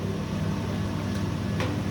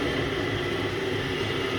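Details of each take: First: Screw-type coconut milk press on pre-delivery test: steady, even motor hum with a few light knocks from pressing, no labouring or slowing; quiet, motor not loaded. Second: Thai coconut milk press machine, mini model with 4 bolts, test run before delivery: loud steady drone with a constant whine; gearbox bearings noisy even on a newly bought gearbox and need replacing.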